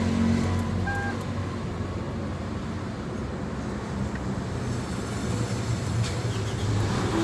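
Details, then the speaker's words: Toyota Camry idling with a rough, low growling rumble underneath, first thought to come from elsewhere but traced to a worn water pump bearing; fixed by replacing the water pump. "Toyota Camry dengan keluhan bunyi ngorok."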